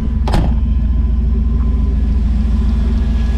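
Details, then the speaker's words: Chevy Blazer idling after the repair that revived it from dead: steady, even low rumble with no knocks or misses after a brief bump. It runs smooth at good running speed. "look at that running good running speed sounds nice sound smooth all of my own no Steve nobody else all on my own"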